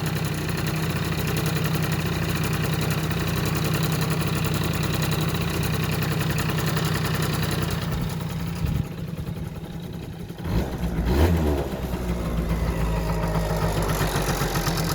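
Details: Yamaha Jog two-stroke scooter, previously wouldn't start after winter, putters at a steady, even idle with a smooth low drone and a brief dip midway; running fine now.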